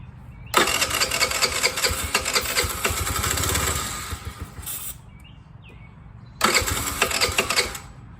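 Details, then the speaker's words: TaoTao 50 scooter, found discarded, duct-tape pod filter manifold removed, starter fluid sprayed in: two brief rough sputtering bursts, engine catching but not running; throttle/carburetor cable found badly out of adjustment. "So you heard it sputter. It's definitely wanting to do something."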